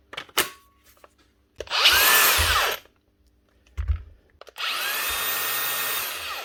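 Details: Makita DGA467 angle grinder after a new switch, given a quick clean so it gets air: two bursts of steady high motor whine, spinning up and holding without cutting out; repaired, running normally.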